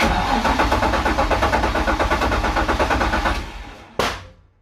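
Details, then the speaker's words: VQ35DETT engine with new sequential gearbox, first test: laboured, uneven cranking at about three turns a second that fades, then a single thump; owner suspects battery too small to supply coils while cranking, unconfirmed. "the battery's too small i think if we're not getting enough voltage to run our coils etc while it's cranking and they've still got enough momentum and you catch it and fires up"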